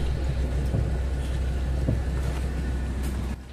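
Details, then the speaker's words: Toyota Revo at idle after tightening the hydrovac (brake booster) pushrod nut: pedal pressed with steady low engine idle and no hiss or air noise, fixing the earlier hissing, deep pedal. "at ulitin natin yung pag-check po ng brake pedal kung wala na siyang singaw or ingay dito sa brake pedal pag"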